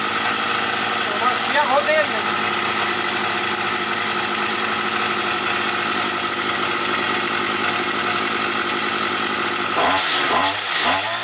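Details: Petrol brush cutter that used to start, then cut out as if switched off; a bent crankshaft was found. After the repair it holds a steady, even high two-stroke drone, the flywheel runs true and the carburettor tunes better: normal running.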